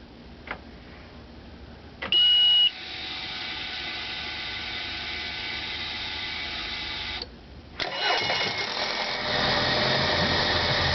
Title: Mercury Outboard four stroke 90 hp EFI Hard starting